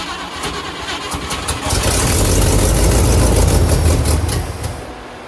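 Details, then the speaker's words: 1957 Pontiac Star Chief Catalina hardtop, 347 V8, long-sitting, fuel poured into the carburetor: quick cranking catches into a rough, building run for about three seconds, then fades and dies once the poured fuel burns off. "wow I really didn't expect this car to run at all"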